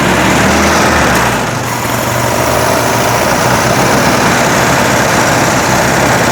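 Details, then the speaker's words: 1961 VW Beetle, air-cooled flat-four, test fire after wiring troubleshooting, cold with choke open and battery at 46%: an even, steady chatter with a slight early dip, running smoothly but smoky; oil and charge lights on. "Sounds good. Pretty smoky."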